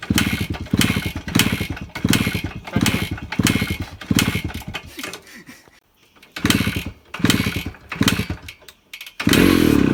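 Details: 2001 Suzuki Samurai two-stroke bike, cold start, run on petrol premixed with oil because the oil tank isn't working, plugs checked OK: after long kicking it runs in uneven bursts, catching and dying back before settling into a steady crackling run.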